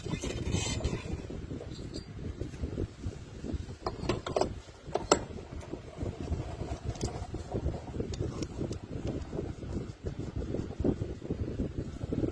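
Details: Honda belt-drive scooter final drive after reassembly with cleaned, regreased bearings, wheel spun at idle: soft, even whir, the earlier grinding gone, no rumble; gear case bearings smooth and healthy.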